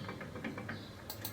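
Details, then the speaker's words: Car front left wheel with noise and slight steering vibration, wheel rocked top to bottom gripping the disc: quick light clack clack clack from a worn wheel bearing; no play at tie rod or ball joint, check hub nut isn't simply loose. "hear it, that clack clack clack, there we already know that the problem comes from that bearing, so always make sure, first do the test and make sure that it is not simply that the hub nut has loose, or be this nut"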